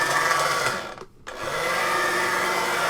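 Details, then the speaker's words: Sega Action GT Video Driver VHS-based game console playing a cassette; busy, rattly, gritty mechanical whirr with a brief drop-out, louder than the tape, from an iffy worn cog in the gear train; noisy gear mesh. "You can barely hear the VHS cassette over the noise of the machine itself."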